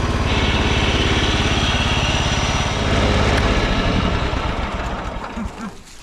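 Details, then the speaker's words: 1993 John Deere LX172 lawn tractor, 14hp Kawasaki FC420V, first run on a jump pack: steady chugging about three beats a second with a rough mechanical rumble; idler bearing nearly seized, noise stops with parking brake on. "It was surging a bit at full throttle at full speed, but I can hear a really noisy idler under there. If the parking brakes on, that goes away. Yeah, that bearing is uh nearly seized."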